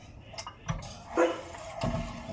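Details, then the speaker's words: BMW E36 316i, wheel rocked by hand: dull, irregular knocks, something loose though the wheel is intact; play from a bad wheel bearing or complete hub. "that sounds like something is loose so look at this guys this is a sign of a bad wheel wheel bearing or the Hub complete so we're gonna need to sort this out"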